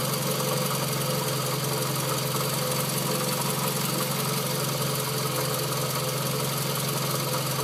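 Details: Scion tC at idle before repair: rough, knocking rumble and steady drone from the belt-driven front end; worn water pump confirmed as cause, and the noise was gone after replacing it.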